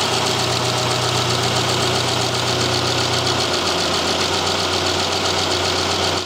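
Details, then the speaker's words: 2010 Subaru Impreza, 150k miles, boxer four with rebuilt engine and new head gaskets, cylinder one misfire code; screwdriver tip on injector at idle picks up crisp rapid even clicking, injector firing normally. "tip of the screwdriver on the injector and i can clearly hear clicking noise let me bring you in hopefully you can get this okay right on the injector"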